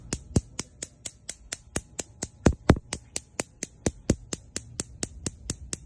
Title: LG Gas range Burner clicking noise/Bruit de cliques